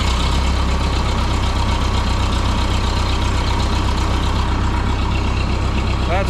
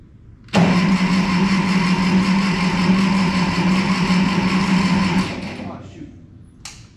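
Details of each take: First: 1951 Ferguson TO-30 tractor with cleaned original spark plugs, intake okay: even steady low idle putter, no misses, knocks or hunting; running like a champ after days of fuel, air and spark troubleshooting. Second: 1951 Ferguson TO-30 tractor, cold start attempt with fuel on and a touch of throttle: starter spins with a steady hum about five seconds but the engine never catches; hard starting, otherwise needs jumper cables after sitting or when hot.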